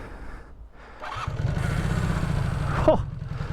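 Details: 1986 Honda CB250N Super Dream that sat for 38 years, started on the button after a full rebuild: one brief crank, then it catches straight away and settles into an even, steady idle; starts cleanly and runs healthy.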